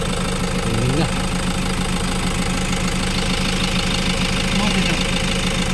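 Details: Toyota Hiace 3.0 diesel with strong engine vibration and check engine light; dirty, rusty diesel drained from tank and replaced with fresh fuel. Steady, even diesel clatter at constant idle with no stumbles, vibration now gone; normal idle.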